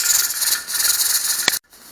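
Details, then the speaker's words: Pressure canner with ground beef pints and a 10 lb weighted regulator at pressure: a steady high hiss with a fast rattling jiggle. This is normal jiggling, and the 75-minute processing is timed from here. "And then once this starts jiggling, I'll time it for 75 minutes because I'm doing pints or 500 a couple times a minute."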